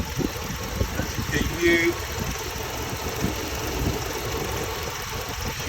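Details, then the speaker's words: Hemi 5.7 V8 after MDS lifter work and new radiator with coolant, warm at operating temperature: smooth even idle, no knocks, misses or surging; no check engine lights, temperature good. "running so beautiful I don't have any um we don't have any check engine lights"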